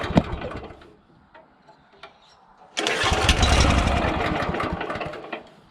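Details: Honda GX340 petrol engine on an auger with new carburettor, fuel and spark present: fires, runs unevenly a couple of seconds, dies; spark plug carboned up; ran okay when governor linkage held back by hand; hard starting and stalling.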